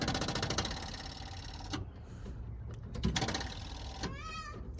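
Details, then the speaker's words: 1975 Chevy C10 sitting 18 years, first start attempt: starter churns in slow, laboring pulses under two seconds without catching; the motor turns over but the battery is low. "Oh, the motor's turning over, right? Yeah, the motor's turned over, that's good. The only thing, you know what? The battery's kind of low, that's why."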